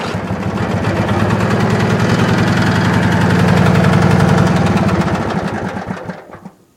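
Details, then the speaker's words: Wheel Horse tractor with a Briggs & Stratton twin-cylinder engine after repair of its dead cylinder: with the other plug lead off, firm regular thumping of about 220 per minute that rises then dies off; the repaired cylinder runs smooth and steady alone. "this was the dead cylinder here so i'll show you that it runs on the fixed dead cylinder"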